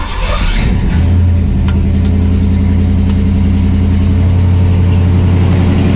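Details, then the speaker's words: Pontiac LeMans with suspected intermittent over-fueling (Carter fuel pump), cold start on choke after one pedal pump: catches quickly and settles into smooth steady low hum, no misses; running pretty much normal. "All right. So, the choke's on. Seems to be running pretty much normal."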